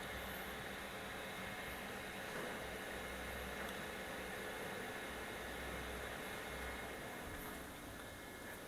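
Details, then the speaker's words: Modena portable induction cooktop just switched off: its small cooling fan whirs with an even airy hiss for a few seconds, easing near the end. Normal fan run-on after switch-off. "dan pada saat dimatikan kipasnya akan menyala selama beberapa detik sampai kemudian dia mati dengan"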